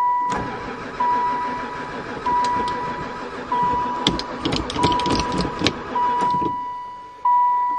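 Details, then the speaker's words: Van that sat about 4 years (2002 mentioned) cranks for several seconds under a repeating warning chime but never catches, even after gas was added; owner suspects no spark, cause unconfirmed. "um I think we definitely got no spark I give up piece of bees"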